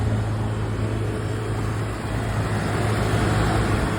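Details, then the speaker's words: Walk-in cooler after a power outage: steady low hum, no cycling or stumbling, compressor running smoothly under load; outage probably damaged the delay relay, to be replaced. "running so we're good uh the power outage probably caused some electrical issues there"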